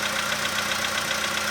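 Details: 2015 VW Polo sedan after cold start, outside −2.5°C: light fast even ticking over steady idle, faint but persisting as it warms; owner unsure, suspects cold valve or hydraulic lifter.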